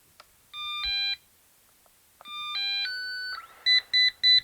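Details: Eufy robot vacuum with solid red light, cover off while unplugging components: two short chimes then four evenly spaced sharp beeps, the stuck-brush error code.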